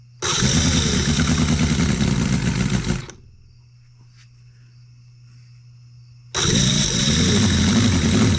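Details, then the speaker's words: Newly built Cison L4-175 flathead four-cylinder model engine on an oak base, first run, not yet broken in, no oil leaks: putters steadily, shuts off, restarts right away and settles into an even idle; normal running. "hole number seven is alive and it doesn't run terribly bad i know it will run better after it gets you know broke in"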